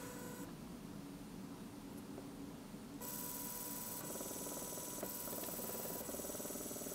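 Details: DC motor driven by an Arduino through an L298N module with PWM speed control: steady small-motor whir that jumps louder and brighter as speed is raised, staying smooth and even; normal running.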